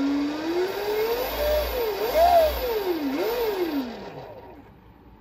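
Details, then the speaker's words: 2022 KTM 250SXF electric conversion, QS138 70H V3 motor and EM260S controller, unloaded on stand, no faults shown: clean electric whine rising and falling smoothly with throttle, then winding down, turning correct direction; normal motor run-up. "and she's running the right direction which I've already checked so it's um all is well so far so this is a clean little it's going to be a clean little bike"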